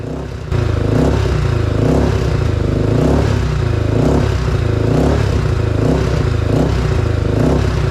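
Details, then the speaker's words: 2003 Honda 400EX single after a top-end rebuild with new rings and timing chain, revved repeatedly on choke to break in: revs rise sluggishly each blip; bog under throttle persists, residual oil smoking, later chased through carb jet tuning. "Unfortunately, the fresh piston rings and timing chain still didn't solve the bogging issue. Here I'm just revving it with the choke on to break in the top end."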